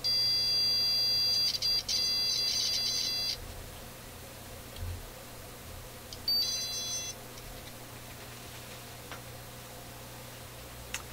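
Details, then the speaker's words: Continuity meter beeping on a corroded Electrohome Kalmar console stereo speaker crossover: high beep in a long broken burst then a short stutter, erratic tone; intermittent contact, owner jokes it may act like a diode, cause unconfirmed. "that's pretty interesting why would my meter make a sound like that I've never heard it sound like that before"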